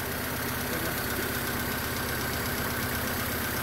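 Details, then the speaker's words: Honda Civic Dimension just started after an anti-theft security reset: rough, lumpy idle with an uneven beat stumbling a few times a second, one cylinder dropping out from a dead spark plug coil awaiting replacement. "So ayan po ah medyo palyado pa yung ano niya kasi nga may patay na spark plign coil ito."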